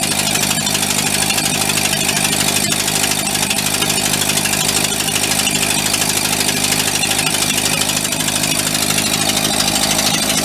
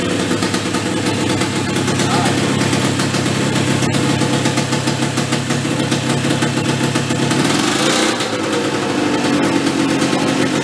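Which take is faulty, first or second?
first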